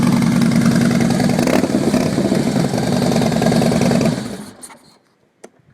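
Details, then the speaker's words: 2011 Harley-Davidson Fat Boy Lo after a DIY exhaust swap with new manifold gaskets, no fuel management chip fitted: V-twin catches quickly and settles to a loping, even idle with no popping or backfire before shutoff. Owner believes it runs lean. Normal start and idle. "So until I put a chip in it, it's going to keep running lean, but it runs fine. There's no popping, no backfiring."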